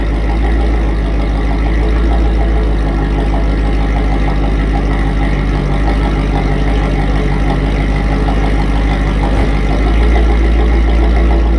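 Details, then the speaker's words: Modified Mercedes SL55 AMG V8 at idle in the garage, heard from the front of the car: deep steady exhaust rumble, even beat, no belt squeal or pulley chatter; engine sounds healthy. "dancy is Rowdy she sounds healthy dude that engine is whisper quiet no no belt noises or pulley noises or nothing that thing is dead silent when you're standing up here in the front of it"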